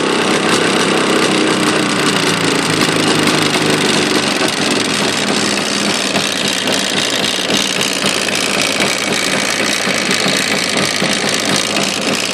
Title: стук в двигателе явы